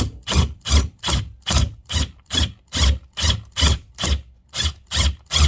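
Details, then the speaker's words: Impact drill boring into driftwood: strong even thumping and clicking about two and a half per second as it chews in; normal impact action, forcing slow drilling. "listen hear that clicking it's because it's like putting little impacts in there which i actually don't like so what this does is it forces me to go slow"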